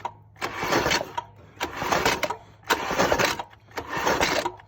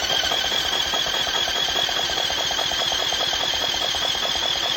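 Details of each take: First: Weak, sluggish starter cranking in four short bursts on a 1980s Yamaha 225DX Tri-Moto three-wheeler after PB Blaster soak; engine never catches, battery (from charger) suspected dead, causing slow cranking. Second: 1980s Yamaha 225DX Tri-Moto three-wheeler, engine freed with penetrating oil in cylinder after sitting, on initial inspection: starter churns steadily at about 2.5 pulses per second with even beat; compression is now good and compression valve seems to work.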